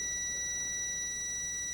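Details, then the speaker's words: Gorf arcade ROM/RAM board under continuity tester: steady high beep holds between pin 23 and pin 1, which should not connect; short later found as a solder bridge under a socket. "on pin 23, you can hear the short. All right, I can put it down here. You can hear it. Pin 23, pin 1. Pin 1 is supposed to be connected, but 23 is not supposed to be connected to 1."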